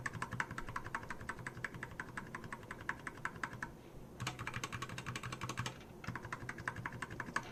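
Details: Keychron K4 optical switches after Super Lube oil lubing: quick bursts of crisp key clicks at a fast typing pace, clean and even with no audible scratch. The switches sound fine.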